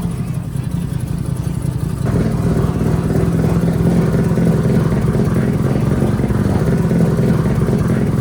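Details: Mazda RX-7 drift car, 13B two-rotor peripheral-port engine, after installing new FT Spark ignition to fix weak spark: catches after a couple of seconds of cranking, settles into a busy buzzy fast-pulsing idle, running steadily.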